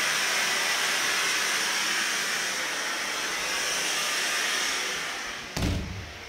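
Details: Kohler K9 steam generator that had thrown error 5, under repair, with fittings still hand-tight and leaking at unsoldered joints. A steady, even hiss of steam with a soft thump near the end. It is boiling and steaming normally.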